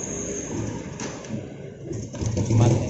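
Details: Yamaha Jupiter Z that won't idle, starts hard, fouls plugs black and wastes fuel: uneven, stumbling low putter that dies unless throttle is held; carb adjustment didn't help, rich rough idle traced to a faulty vacuum petcock.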